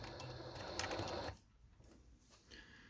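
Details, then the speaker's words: Necchi 831-101 walking-foot machine with 550W servo motor at its minimum speed, sewing two layers of jeans with 130 needle: light stitching patter about two stitches a second, then near silence; quiet healthy motor. "This is the sound of the motor. And this is the speed. This is the minimum speed"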